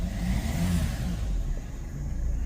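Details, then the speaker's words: 2012 Kia Sorento after repair of loss of power, hard starting and black smoke (P0087, P1186): engine pulls up smoothly with steady deep drone, no stumble or misfire, revving clean; fuel pressure reading improved from 32 to 57. "you know also reving out real clean too"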